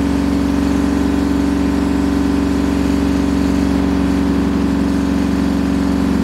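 Loud continuous roar with a droning hum throughout the spin; that rumble is typical of badly worn drum bearings.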